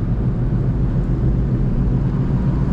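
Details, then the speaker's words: Newly bought car on its first drive, cruising: a steady low drone under the road noise. Occupants call it a blown wheel bearing. Wheel bearing noise. "aí mano rolamento estourada asso velho tá zoado tá zoado nossa pode nem ficar andando com esse carro"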